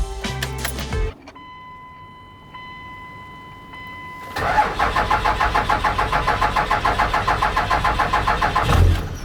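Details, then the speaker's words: Cummins diesel truck, right after fitting a new starter: cranks slowly in an even beat for about five seconds before catching; the hard-start problem persists and the owner suspects the injection pump, not confirmed. "Start it up. It's still having that starting issue. I think it's my injection pump."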